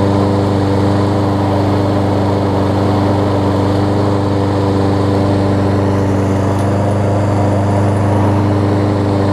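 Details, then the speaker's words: Lawn Boy push mower fitted with an aftermarket replacement carburetor after a bad needle and seat, blade stop cable fixed, warm start: a steady, even single-cylinder drone with no misses or surging. It runs smoothly and healthy. "and it runs great"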